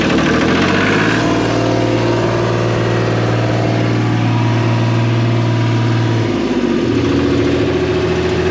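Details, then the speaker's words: New Holland L783 skid steer diesel after topping off and bleeding fuel: idles steadily with a low drone, then falters near the end; it only runs on the primed fuel, with a bad primer pump suspected, not confirmed. "We have to diagnose whatever is going on in the fuel system here that is only letting me run with what fuel is in it."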